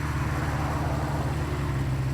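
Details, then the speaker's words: 1976 Honda CB550 four, first running after sitting 48 years, carburetors being adjusted: low, steady idle with an even beat and no misses; smooth healthy tickover after idle adjustment. "I do need to adjust this idle. That sounds a little better with this cargo."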